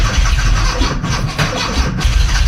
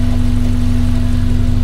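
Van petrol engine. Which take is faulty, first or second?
second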